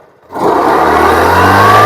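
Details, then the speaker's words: Yamaha Ray Z scooter clutch noise: a steady whirring drone from the drive side with a faint rising whine on top. Clutch cover bearing (No. 6202) noise; the bearing is replaced. "இந்த வீடியோல நாம என்ன பார்க்க போறோம் அப்படின்னா Yamaha ரேட்ல clutch sound வந்து வருது நல்லா இனிப்பா"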